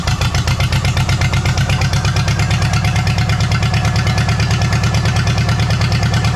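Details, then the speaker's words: Farmall H pulling tractor after a pull, governor spring changed, started after tweaks: loud low chugging with uneven stumbling beat around three pulses a second; still sounds funky, something off, cause not yet found. "give still sounds a little funky to me something's off"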